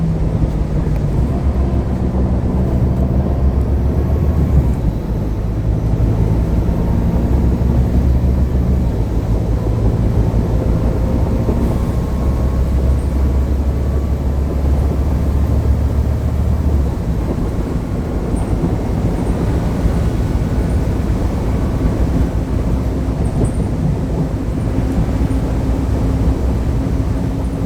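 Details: Transperth Mercedes-Benz OC500LE CNG bus, before repair: heavy engine rumble with a faint droning whine on top from a worn cooling fan bearing.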